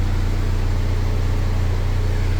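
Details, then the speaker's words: K20 engine with its current oil pump, idling around 900 rpm: heavy, steady low drone with strong vibration that rattles the door panels and glove box. The owner blames the oil pump. Excessive idle vibration. "the current K20 oil pump in this car it is giving me a whole lot of vibration so right here you can hear it"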